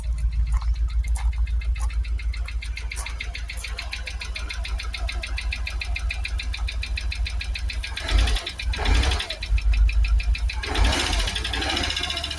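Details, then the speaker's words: Jaguar XKR supercharged V8 just restarted after twin fuel pump replacement, running on seven or six cylinders, no smoke; steady idle with fast even ticking knock and a couple of blips; supercharger knocking, considered expected. "yeah we've definitely got a bit of knocking from the supercharger but you know to be expected"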